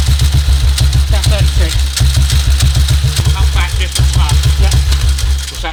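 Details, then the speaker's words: 1952 BSA M21 single idling, ignition timing at 36 (stated spec 38): heavy thumps uneven in spacing and strength, hunting rather than settling. Erratic idle from incorrect ignition timing; cam timing is known not to be exact. "that's more erratic that way, isn't it? Yeah. The idle isn't as smooth. Cam timing and ignition timing are very critical to each other, yeah?"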